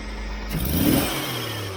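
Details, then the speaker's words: Jeep CJ-7 with an idle stumble, after swapping vacuum connections that advance timing at idle: short, smooth rev blip that climbs cleanly without stumbling, stumble almost gone, though idle is now a bit fast. "it's almost gone isn't it it is it's almost completely gone look at listen to that that's almost perfect have I just cured my"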